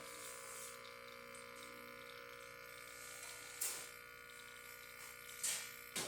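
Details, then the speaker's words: Profitec espresso machine after full service, descaling and a brand-new vibratory pump replacing one killed by scale, pulling a shot: even, steady buzzing hum without surging or rattling; pump running smoothly, pressure holding at 9. "And you can hear the sound. It's not the sound we had previously with the dying pump."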